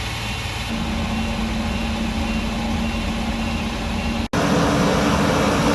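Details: Workhorse W22/W24 chassis 8.1 Vortec with radiator blocked off, engine at 225°F: steady idle, then sudden loud rushing roar as the fan clutch locks up after a long wait (expected near 205); normal engagement.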